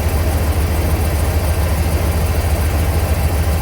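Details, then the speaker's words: 2006 Chevy 3500 dump truck 6.0L V8 at idle during oil pressure test, dash gauge reading low: steady deep even rumble with no tapping or knocking; engine running properly, actual oil pressure about 42-45 psi, gauge is off. "And like I said, this motor doesn't tap. It sounds like a good running 6-liter."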